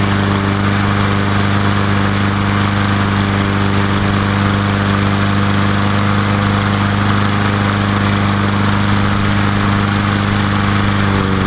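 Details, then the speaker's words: Old Murray Dynamark 22-inch mower, 3.75 hp Briggs & Stratton, restarted after sitting about 7 years, fresh sharpened blade, after 15–20 minutes off: smooth, even single-cylinder drone, no misses or knocks; earlier smoke cleared, from sitting, running healthy. "I'll fire it up one more time, and like I say, I think the smoke pretty much cleared up. That was just from sitting."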